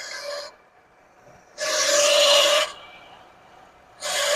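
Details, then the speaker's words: 1979 Lincoln Continental, abandoned 32 years, first revival run: bursts of harsh rasping grind with a steady high squeal from the smog (air) pump bearing, confirmed by listening through a screwdriver/stick; the smog pump belt was cut. "Yep, it's the smog pump. Tickled my eardrum."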